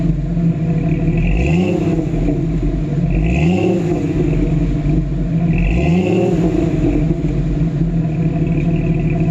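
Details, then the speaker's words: 1992 Jeep Wrangler 4.0L after replacing a cracked exhaust manifold: steady idle with repeated quick throttle blips rising and falling cleanly, faint clatter underneath; owner hears some engine issues, source unclear. "i mean that sounds great don't get me wrong i'm hearing a bit of engine issues"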